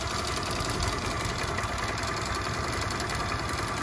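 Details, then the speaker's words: Piaggio Zip scooter after servicing at a workshop, idling smoothly and evenly with a steady low putter, no rattle or knocking; quieter than the noisy sound it made before the service. "nah kelihatan suaranya lebih halus main ya Kelihatan suaranya lebih harus nggak berisik seperti di video sebelumnya"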